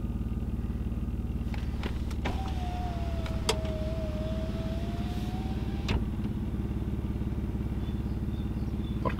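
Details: BMW E46 with the M54 six-cylinder petrol engine idling evenly with a steady pulse and no stumbles, after a new cylinder 1 ignition coil and cleared misfire codes; it now runs rounder, though the exhaust has holes.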